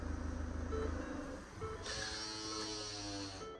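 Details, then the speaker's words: Mitsubishi L200 pickup in for headlight repair and a major service: a thin, steady high buzz over the running engine for a couple of seconds. Not the headlight; source unidentified. "do not know what that noise is. It's not the headlight. There's something else that's going on that making that noise on that engine."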